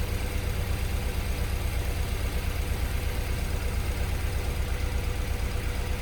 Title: Misfire cylinder 1